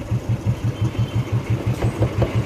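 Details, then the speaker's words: Motorcycle engine at idle: single thumps about six a second, each with a hollow knock on top. With the half engine opened, the main bearing on one side is found loose, with play in the crank carrying a heavy weight. "इसका main bearing एक side का जो है इतना ज्यादा आवाज क्यों कर रहा है और मैट कितना भारी है वो भी दिखाता हूं आपको। ये देखो ये वाला जो बैरिंग है ये हो गया लूज। ये इसमें प्ले आ गई है।"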